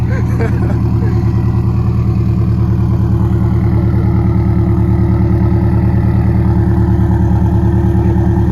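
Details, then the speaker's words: 2017 Subaru STI (VA, 400whp build), repaired and road-driven that day, idling at its first start for the owner: deep, even burble with a steady pulse and no knocks or misses; healthy idle, though a small metal exhaust rattle, possibly a pipe, was noted earlier. "Drove this thing today. It sounds really good, so I think you're gonna like it."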